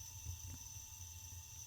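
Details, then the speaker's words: Boiler controller after servicing the feed cartridge valve and screen: faint, steady high-pitched hiss of water flowing through the feed valve once the float switch clicks, just before the boiler fires; normal feed valve water flow hiss. "but it worked and you can hear the high pitched hiss is the water coming through this valve here and that's going to be overwhelmed by the sound of the boiler firing now"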